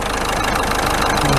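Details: 2014 Ford Fiesta 1.6 TDCi diesel, 140,000 km, idling after repair of a crank-no-start (P244D) with new timing belt: steady even diesel clatter, constant low rumble, no misses or surges; running normally.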